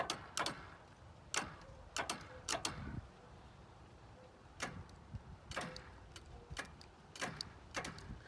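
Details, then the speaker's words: Kawasaki KZ1300, jump-connected to a truck: sharp isolated clicks in small bursts as the starter button is pressed, engine never turns over; owner suspects a poor connection or a faulty relay. "before this harder button wasn't anything now it's kind of doing that i don't know how much you can hear i mean it's definitely drawing some power i wonder if i'm not got a good connection um or we got a relay that's mad somewhere"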